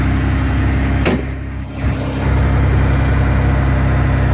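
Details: Ford F150 2WD petrol truck with new starter, battery, radiator, plugs, wires and distributor cap and fresh oil; still needs an ignition switch. Steady, even low rumble with no knocks, misses or hunting: normal smooth idle.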